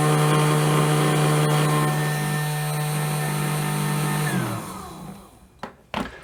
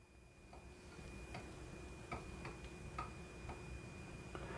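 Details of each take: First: 200 W motor for a remote-control car running at maximum speed through an H-bridge power test, transistors staying near 25°C: smooth, steady single-pitch hum, then a clean spin-down; normal running. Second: 200 W DC motor on an H-bridge, PWM duty above 80% but the motor not starting: irregular sharp ticks about twice a second over a thin steady whine and low hum.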